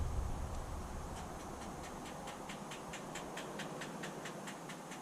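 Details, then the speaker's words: DAF LF truck, engine off, parking brake on, after replacing leaking clutch slave cylinder/actuator: light quick clicking about four per second over a soft hiss as the actuator purges via diagnostics before clutch point recalibration; normal. "Engine is off. N engage. Confirm. So it's purging the actuator now."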